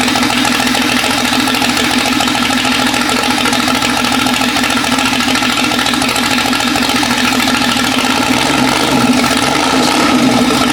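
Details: Jeep 5.0 stroker build after fitting longer pushrods: uneven, stumbling idle with a loping beat and a skip. Header temperatures show a middle cylinder not firing; owner hopes the lifters will bleed down, or that different pushrods are needed.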